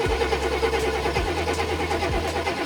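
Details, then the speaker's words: 1990 Chevy truck, crank test with metal object near plug wire checking spark: steady starter cranking in short bursts with no catch or firing; crank, no start, no spark seen, so spark issue suspected rather than fuel. "that it does not appear that we have any support do it again all right boss I think we have a spark related issue not a fuel related issue"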